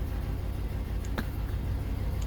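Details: 2004 Chevrolet Avalanche after no-crank, no-start with no ECM communication, fixed by restoring a bad ECM ground: low, steady rumble at idle with an even beat and no misses or knocks; normal idle.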